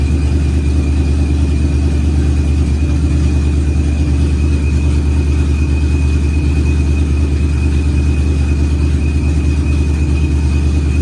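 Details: Procharged Ford Coyote V8, first fire-up of the built engine, good oil and fuel pressure: deep, even rumble at steady idle, no knocks or misses, faint whine on top; healthy warm-up.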